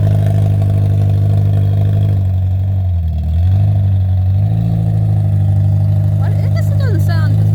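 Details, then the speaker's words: 2003 Honda Element with stolen catalytic converter: deep, loud, raspy exhaust drone swelling with revs and sagging off throttle; catalytic converter missing. "You want to hear what a Honda sounds like without a catalytic converter? There you go."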